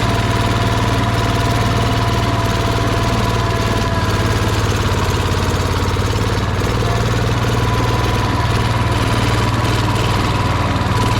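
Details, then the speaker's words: 1971 John Deere 140 H1 riding mower on points ignition: steady, throaty single-cylinder idle with an even low rumble, running freely with the gummy air filter removed; the restricted filter was choking it. "use a filter that could also be giving us problems filter is pretty gummy"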